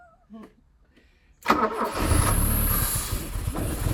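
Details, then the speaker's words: Porsche 924 that sat about 30 years, short crank then engine catches and runs rough and uneven for a few seconds on brake cleaner after cam timing reset, possibly a tooth out; fuse box and wiring in bad condition. "I'm pretty amazed that this thing even starts that how bad that fuse box is"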